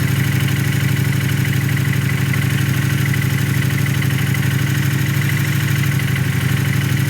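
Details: Fresh-built engine at steady idle with a regular knock, roughly three per second, over the low rumble; knocking inside, cause not pinned down.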